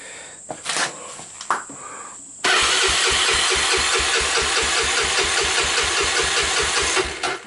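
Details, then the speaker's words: Honda TRX300EX ATV single, formerly seized, cranked by starter with carburetor off after intake valves found too tight and adjusted; even steady compression pulses, turns freely, compression just over 120 psi, normal cranking compression. "the compression came up to just slightly over 120 psi"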